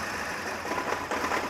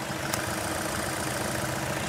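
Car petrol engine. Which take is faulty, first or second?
first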